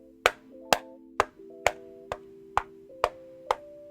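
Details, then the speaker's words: Epomaker HS84 hotswap 75% keyboard with a frosted ABS case and Gateron Brown switches: eight sharp knocks on the case, each leaving a metallic ringing hum as the switch springs ping around inside. "the board has a pretty cheap feel to it and when knocking on it you can hear the springs pinging around in it"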